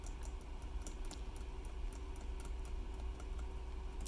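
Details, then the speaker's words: Keyboard (Riskeyboard 70) shift key with the new stabilizer design, thicker stem at the cross point: soft, muted quick irregular taps with no rattle or ping; stabilizer quiet and solid after the fix. "really quiet right so the improvement i made between this version and this version is the stem on the stab wasn't thick enough"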